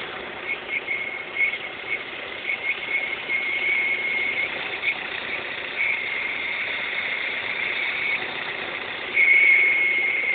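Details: Opel/Vauxhall X20XEV petrol engine, only when warm: a thin, high whistle comes and goes over the running engine, swelling louder near the end.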